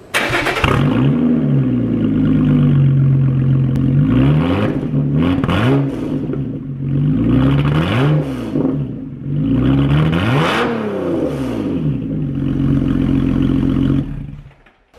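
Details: Lotus Evora with a Toyota Camry engine and a new aftermarket exhaust, cold start. The engine catches, then quick revs rise and fall cleanly over a deep, even exhaust note; a normal, healthy cold start.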